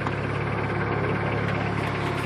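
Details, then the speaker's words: 1997 Plymouth Breeze 2.0L four-cylinder with check engine light on, cold start at about 35°F: light, fast ticking from the back of the engine at idle that goes away once warm; owner suspects a lifter not getting oil, running 10W-30. "like a ticking noise from the back side of the motor, but I don't know what it's from. It might be a lifter and the oil getting to it, because I think it's still running 10W30, but I'm not sure, because the ticking noise goes away once it warms up."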